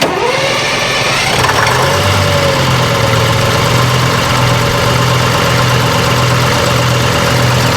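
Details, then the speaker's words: AVGP Husky armoured vehicle diesel, sat outside 10–15 years, first start attempt: starter cranks evenly for several seconds but it never fires on its own fuel, only runs on ether; fuel delivery suspected. "we were hoping to be able to fire it up on its own and that didn't take place the engine is certainly capable of running on ether but we were not able to get it to fire on its own fuel"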